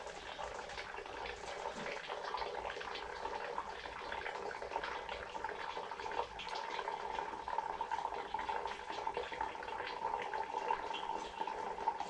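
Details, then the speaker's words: EWK 6.5-litre vacuum oil extractor drawing oil from a slightly warm car engine: steady gurgling trickle under vacuum with no pumping strokes needed; oil flowing freely, normal extraction. "it sounds like it's just pumping away you don't currently don't have to pump the entire time which is nice"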